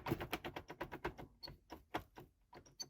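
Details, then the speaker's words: Can-Am Maverick X3, about 1000 km and 50 hours, cup holder console panel rocked by hand: quick dry plastic clicks and squeaks, several a second, blamed on plastic push-pin grommet mounts; owner stiffened other panels with cut inner-tube rubber. "and you can hear a little bit of a squeak right there if I do that like I I don't understand why why couldn't you just tighten that up somehow"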